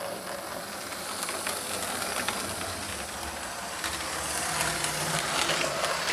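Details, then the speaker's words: Lima Express Parcels van model railcar with 3D-printed replacement gear, body refitted, lapping track: busy hissy whirr with light rapid gear ticking; sounds as it always did, these railcars always a bit noisy, healthy. "it sounds just like it used to sound before they've always been a bit noisy these um um rail cars so uh it's not too bad actually"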